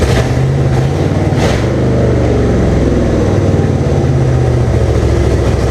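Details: 1998 Jeep Cherokee XJ with swapped 2005 5.3 LM7 V8 (706 heads, LS1 intake, reprogrammed computer, 4L60E) on its first start with makeshift wiring and fuel tank: a loud, lumpy, surging, stumbling open-exhaust idle. Runs rough, cause not pinned down.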